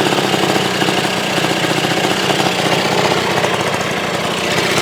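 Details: 1980 Suzuki FZ50 two-stroke moped after fixing fuel leaks (seal, fuel shutoff, carburetor screws torqued): fast, even popping at steady idle with no misses or knocks; normal idle.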